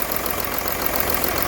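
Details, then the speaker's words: VW Touareg diesel with P0087 fault code: very rocky, lumpy idle running on five cylinders with one injector loosened, as in the ball-bearing-in-injector diagnostic trick. "know it's very very Rocky but obviously it's only running on five"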